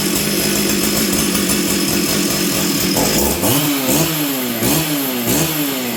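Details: Stihl 044 Arctic chainsaw after new coil and spark plug, on full choke: revs up and down with a wavering, blubbery note that won't hold clean; running rich, traced to air leaks in fuel and intake lines.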